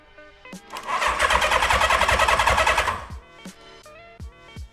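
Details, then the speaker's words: 1976 Honda CB550 barn find with 6,738 original miles, cranked during a spark check with a screwdriver: about two seconds of fast even cranking that never catches; no spark seen, so an ignition problem. "Okay. And I don't see any spark. So that means that we have an issue with spark."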